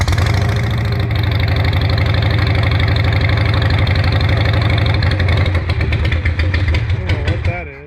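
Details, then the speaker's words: 2016 Harley Sportster 883 Iron EFI V-twin: uneven, lumpy running that stumbles and dies after about seven seconds. The rebuilt fuel pump failed and is leaking fuel, and a new stock fuel pump is thought to be needed. "Yep, I think it's gonna need a new fuel pump. Rebuild did not work. It's leaking."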